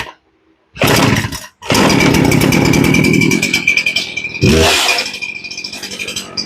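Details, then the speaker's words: Poulan Pro chainsaw that sat a long time and wouldn't start; after the low-speed carb screw was turned up about 1/16 turn, it catches from cold, stalls briefly, then restarts and holds a crisp two-stroke run with a few revs. It now starts and runs properly. "and now it starts better and as you can see it was running okay but it wasn't starting"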